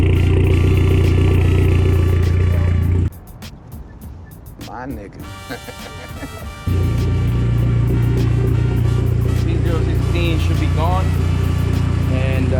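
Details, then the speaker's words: Dodge SRT4 Neon on stock cams that threw code P0016 and had jumped timing, now retimed with codes reset and fuel trims still adjusting: smooth, steady low idle with even firing and no hunting. Normal idle. "the fuel trims and everything is adjusting because i just pulled the heels but now it sounds like a regular nan cammed out neon"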